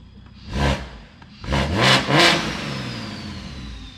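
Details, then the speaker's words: BMW 340 Gen 1 B58 big single turbo, stock motor, after fixing the boost leak: sharp rev bursts with a clean rising whistle and smooth fall-off, no leak hiss; normal spool. "But uh even the turbo sounds different now. That doesn't have a boost [Music] leak."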